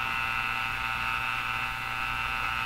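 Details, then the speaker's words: Northern Electric Baby Champ tube radio: steady raspy buzz with low hum, unchanged in pitch while tuning across the band and quieter when a station is tuned in; interference suspected to be leaking through at the 455 kHz IF, not confirmed. "the staticky sound in that has nothing to do with a radio it's [Laughter] interference now as I tune across the band you can hear kind of the same noise the whole"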